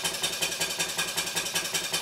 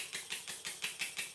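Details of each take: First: Stuart 5A or S50 model steam engine on the bench, run on compressed air from a Bambi BB50D compressor switched off before the run: crisp, even exhaust chuffs about 2.5 per second with a steady beat. Normal running. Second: Stuart model steam engine run on compressed air from a Bambi BB50D compressor: sharp, hissy exhaust chuffs about six per second, each with a slight knock. Funny noise caused by too much oil in the steam chest and cylinder.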